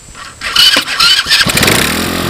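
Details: Chinese 110cc engine temporarily mounted on off-road cart frame, cold start on choke with portable CDI box after reversing pulse generator leads to clear a short: brief starter whirr, catches and settles to steady even idle; started right up, no strange sounds.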